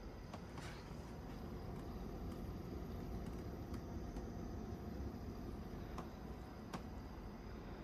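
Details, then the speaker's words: Brand-new Midea U 6,000 BTU window air conditioner installed in the window with the setpoint raised to 71: fan went to about low and the compressor ramped down, giving a low, smooth, steady hum with soft airflow and faint ticks, running normally. "Here is the unit at a lower capacity. My dad turned it up to 71, so the fan speed automatically went to around low and the compressor ramped down."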